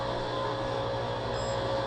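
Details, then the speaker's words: Dishwasher on the ground floor during a home inspection making a loud, steady motor drone with a thin whine and no water sloshing; it runs with no water in it and doesn't shut itself off, so it's not operational and probably needs replacing. "That's making a terrible noise. There's no water in it. And even though there's no water in it, it should turn itself off when there's no water."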